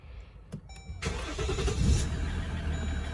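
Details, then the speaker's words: 2014 Jeep Grand Cherokee WK2 diesel after replacing the transfer case control module. It had knocked underneath mid-car for seconds at start-up and clunked into second gear. Cranks, catches at once, settles to steady idle with no knock: normal start. "and the noise is gone we'll take it for a drive but that second gear should be nice and smooth now"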